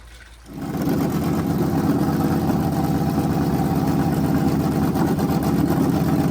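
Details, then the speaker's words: Freshly rebuilt small block Chevy 350 for an OBS Chevy truck, first runs on a homemade run stand with headers and hot water filled in: fires up into a strong, steady lopey rumble, even firing, no knocks or ticks; healthy. "this thing sounds mean as can be so I'm just excited to uh be able to let you guys hear it"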